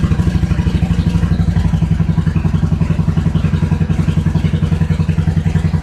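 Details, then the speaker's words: 1986 Suzuki Intruder V-twin after cleaning threads, refitting the main jet and replacing leaking fuel hoses: deep, even thumping about three to four beats a second with no misses; idling cleanly. "put the thing back together and finally it starts and runs all right"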